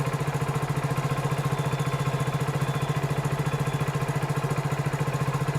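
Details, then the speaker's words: Hero Splendor BS6 single-cylinder bike just started cold, about 1739 rpm on live OBD data; temperature sensor acts as automatic choke raising idle while cold: fast, even putter with no misses; normal cold fast idle. "तो यह temperature sensor ही automatic चौक का काम करता है और यह temperature sensor जब engine ठंडा रहेगा तो ऑटोमेटिक इसके एक्वेटर को ऑन कर देगा ऑटोमेटिक चौक लगा देगा"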